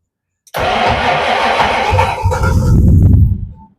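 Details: 1962 Ford Falcon gasser in cold weather after distributor gear replacement: about three seconds of steady starter churning with uneven cylinder puffs that never catch; owners suspect the cold and want a block heater, car later runs.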